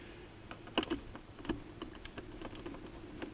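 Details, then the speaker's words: HEXA hoverboard (UL-certified, 36 V battery), used a few weeks, shaken before opening; light irregular metallic clicks and jingles, like a loose screw rolling inside the housing, cause still being sought. "if we can find out what that jingling is there's lots of things that can go jingling in here and there"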